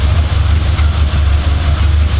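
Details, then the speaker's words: Audi S4 4.2 V8 after work to cure its startup chain rattle: deep, loud idle with an uneven, pulsing beat; lumpy running, owner suspects a misfire on one cylinder, diagnosis still needed. "noisy v8 man it's lumpy i need to get the uh i need to get the diagnosis on it to run some checks to see what's going on"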